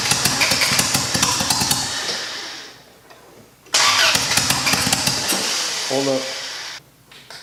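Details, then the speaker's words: Rebuilt turbo Honda Accord (CD5) engine on first startup with only bare essentials, open exhaust and no intake piping: hesitant start needing a little gas, then crisp, even firing with no misses; motor sounds healthy, seemingly in good time. "at least I know the motor is healthy it runs all the injectors are firing it seems like it's in pretty good time I don't have any you know misses"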